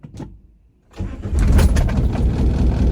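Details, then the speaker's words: Mazda B2500 diesel truck, cold morning start after extra glow plug cycle: brief crank, catches around one second, then uneven lumpy idle with missed beats; owner suspects only three glow plugs working. "she's running, but as you can hear, she's a bit lumpy. Quite a lot lumpy if you were sat on it that nearly missed a beat then."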